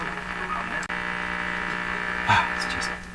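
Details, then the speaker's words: 1940s Canadian Red Cross tube radio after replacing three wax capacitors and one electrolytic: loud, constant low buzz under faint crackle; strong hum of unknown cause, persisting with a loop antenna and ground removed. "how come you're humming like that"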